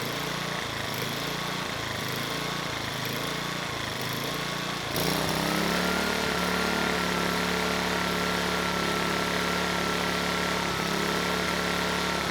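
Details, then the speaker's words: Sportsman GEN2200DFI dual-fuel inverter generator (Yamaha MZ80 clone), just revived, Eco switch on: engine note hunts up and down about every second, steadier and higher with Eco off; surging, clogged carburetor pilot circuit suspected. "you know when we started this up I had the Eco switch on and it wasn't able to run smoothly the engine it was surging uh with the Eco switch off it ran quite a bit better"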